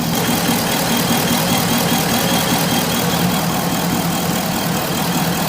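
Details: Corvette V8 with misfire and lean codes: idle wobbles and stumbles unevenly instead of holding a steady beat; owner suspects bad fuel injector plugs, three not connected, not confirmed.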